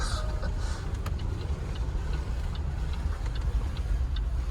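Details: 2010 Land Rover LR4, cheap purchase with suspension fault, while driving: faint regular light tick under road rumble, keeping pace with engine speed. Owner suspects cylinder 8 and notes a burning smell; source unconfirmed.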